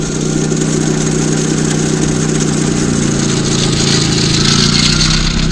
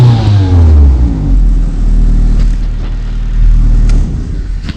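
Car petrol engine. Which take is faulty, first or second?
first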